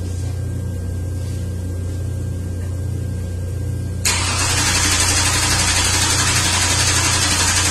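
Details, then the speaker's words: 2003 Ford Windstar 3.8 with a rough-running misfire, cranked 10 seconds for a relative compression test: steady, even cranking at about four beats a second, with all cylinders equal and no significant compression problem. "well you could tell by the sound of it cranking that it doesn't have a serious or significant compression problem and all cylinders they're equal"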